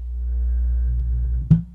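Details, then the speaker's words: Miller and Kreisel MX-125II subwoofer, 24+ years old, powered on with no input signal: deep low drone then hard thump as the cone moves in and out. Suspected DC offset, current meter swinging near full on the 1.5 A scale, before capacitor replacement. "and so yeah the cone should not be going in and out there's some kind of a dc offset going on"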